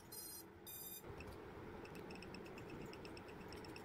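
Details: DIY quadcopter racing drone with four RS2205 2300KV brushless motors, powered up after wiring the receiver to the flight controller: two quick bursts of high musical beeps, then faint regular ticking; normal ESC power-on arming tones.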